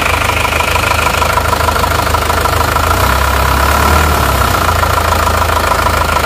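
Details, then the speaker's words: Isuzu Panther diesel after engine overhaul, one Euro 2 and one non-Euro unit compared: steady idle with even clatter about three beats a second and mild gear whir; Euro 2 sounds quieter owing to timing; normal idle. "nonzuro yang Euro 2 itu suaranya lebih halus ya teman-teman suaranya lebih halus lebih ngereng-ngreng jadi karena perbedaannya ada ditimingnya itu lebih senyap"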